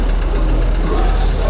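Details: Diesel van at auction idling with a lumpy, uneven chug; sounds rough, possibly an injector fault but maybe more serious, not confirmed.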